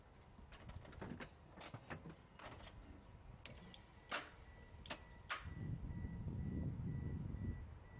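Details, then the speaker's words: 1994 Ford Escort 1.9, bad starter; sharp irregular clicks each key turn with no cranking, solenoid trying to engage; voltage to starter confirmed; recorded outdoors in wind. "I could actually hear the solenoid trying to engage and a lot of times you don't have that"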